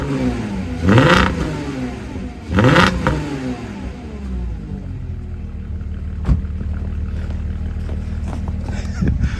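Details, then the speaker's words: 2006 first-gen Porsche Cayenne with the 3.2 VR6, internal muffler bypass mod done on one side only: two sharp throttle blips with a deep, throaty exhaust bark, then a steady rumbling idle. Exhaust louder and freer than the anemic stock sound. "Well, hey now. Actually, that sounded okay. That's only one side."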